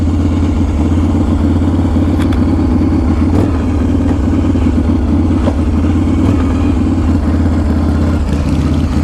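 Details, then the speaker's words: 2016 custom bike with a Harley-Davidson S&S shovelhead engine, 1,100 miles, cold start on choke: loping V-twin idle with a light, dry, slicing chatter over it; that is normal dry clutch noise, not a fault. "Now if you hear that kind of like slicing, like chattery type of noise, that would be the dry clutch."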